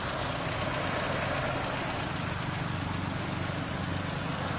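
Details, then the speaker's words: Mazda 1300 5-speed car, year-34 registration, idling with the AC compressor engaged: steady even idle with low hum, holds smooth under compressor load, no misses or knocks; normal, AC cold. "อ่าเดี๋ยวจะเปิดแอร์นะครับจะได้ยินเสียงคอเทำงานนะฮครับทำแอร์ทำงานแล้วนะฮะลมออกนะครับแอร์เย็นนะฮะแอร์เย็นนะครับนี่ติดแอร์นะ"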